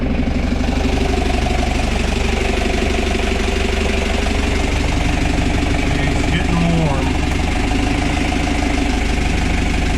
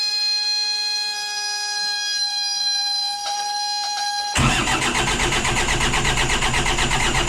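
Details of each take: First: 1985 Outer Reef 26 trawler with 60hp Isuzu C240 (QD60) diesel, first start in 10 years after bleeding fuel system, temperature reaching about 220: steady, even idle with firm low rhythm, no knocks or misses, ran well; water found in fuel. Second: 60hp Isuzu C240 (QD60) diesel in a 1985 Outer Reef 26 trawler, not started in 10 years, injection pump just primed: after a steady tone it suddenly catches and runs ragged and uneven. Hard starting.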